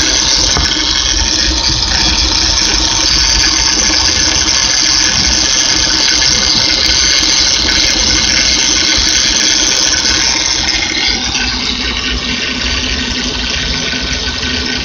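Engine idling with a loud, high-pitched whirring squeal from a power steering pump with a worn bearing. Cause suspected, not confirmed.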